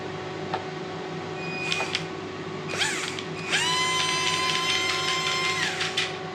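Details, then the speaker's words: RC model truck after fixing too-deep screws that pressed on the gears: the small electric motor and gears whine at a steady, fairly low pitch with slight unevenness. The drivetrain runs too slow and sounds like it's skipping; cause unknown. "there's something not quite right there it's too slow almost as if something's not quite sounds like it's skipping"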